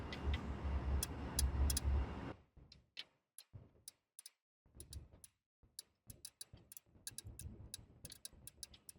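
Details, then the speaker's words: July 1998 2G DSM with most lights failing (tail, brake, reverse, fog, headlights, turn signals): after the ground was loosened, light, sharp, uneven relay chattering about twice a second comes from a Bosch block down low. "Now listen, listen carefully. Where's that clicking coming from? Why is there clicking down there?"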